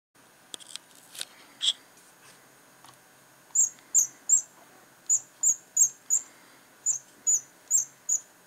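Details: Razer Mamba mouse scroll wheel giving short, sharp, thin high chirps in quick bursts, about three a second, like a cricket; the scroll wheel is squeaking.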